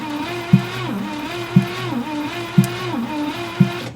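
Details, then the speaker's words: 1962 Cadillac Sedan DeVille, not run in over 30 years, cranking during a compression test (45–60 psi): slow starter cranking with a heavy thump about once a second in step with cranking; knock of unknown cause. "you guys hear that that knocking that bo"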